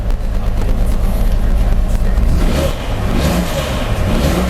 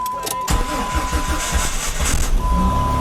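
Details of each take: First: 2004 Jeep Grand Cherokee 4.0L, freshly rebuilt engine on its first start: a lumpy, stumbling note as it revs, shaking the whole car, though oil pressure is good. Several cylinders are misfiring. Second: Rebuilt 2004 Jeep Grand Cherokee 4.0L with a new radiator, after closed spark plug gaps were fixed (it had run on three cylinders), about 40°F: a steady, even idle with no misses, knocks or ticks. One pulley is noticed screaming.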